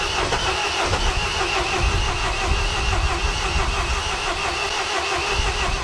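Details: MINI R56 1.6 HDi DV6 diesel after extensive work including timing belt: steady, even starter cranking with no firing pulses, turning freely but never catching; cranks but won't start, owner suspects fuel delivery, injectors, timing belt or compression.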